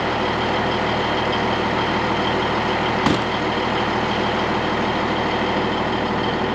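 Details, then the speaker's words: Cabover truck restarted after sitting two months in cold, trailer also sat two months: engine idles steadily under constant airy hiss as the system builds air and the suspension rises; normal inflation. "I hear the suspension coming up. Yeah, she's starting her up."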